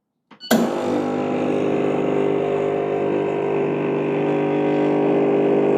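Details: Gemilai 3007Z espresso machine, straight out of the box with the flow control untouched, pump run about ten seconds to measure flow, about 40 ml per 10 s (4 ml/s). Sharp start, then a steady, even buzzing hum with no surging or rattle. Normal.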